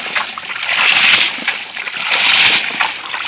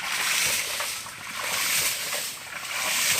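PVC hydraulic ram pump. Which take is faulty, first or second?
first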